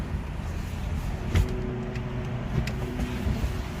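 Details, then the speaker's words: 2019 Hyundai Kona EV: a few sharp, separate ticks over quiet road rumble when the wheel is turned to full lock and throttle then brake are applied, recorded with the window open. Intermittent, common on this model; the drive shaft spline is to be greased to fix it. "지금 이런식으로 나오느냐 소리가 틱틱 이거로 오늘 제 2 아주 좀 고질적인 거의 모든 코너에 다 소리가 나는것 같아요"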